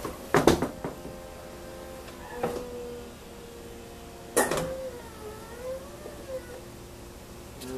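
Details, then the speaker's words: BMW E46 M3 convertible top raising after replacing the metal motor cover under the rear seat: smooth, even motor hum with soft linkage thuds and no clicking. Top motor operating normally. "let's try to pay attention to how the motor sound as you can see it's turning nicely to goes up at the end it should be engaging"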